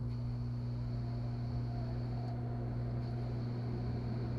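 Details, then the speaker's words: 1998 Chevy Suburban that sat 8 years, fuel pump run by jumpering relay terminals 30 and 87: a steady low hum with a faint high whine and no surging. The engine still did not start afterward. Normal fuel pump operation. "that's the fuel pump fuel pump works let's try cranking it up i can't believe it sounds like it works"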